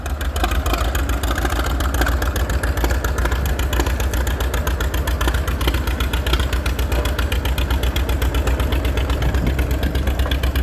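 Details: Old F-20 tractor fitted as a loader around 1942: steady low idle with an uneven, stumbling beat where some firing pulses drop out; misfiring, cause unclear.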